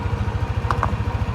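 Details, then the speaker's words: Yamaha NMAX v1 scooter at idle: steady low knock about nine times a second with a couple of sharp clicks; cracked magneto rotor (split in three places), not the crankshaft; fixed by replacing the magneto. "Yan, pag ganyan tunog, alam niyo na, magneto na yung sira ng motor mo."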